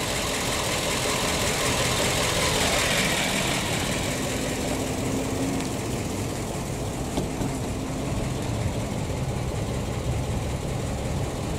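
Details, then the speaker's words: PAZ-672 bus V8 after repair, at idle: soft, even low rumble with no ticking or knocking, sounding refined; the earlier knock is gone. Normal idle. "Ну что, по-моему, культурно звучит. Очень."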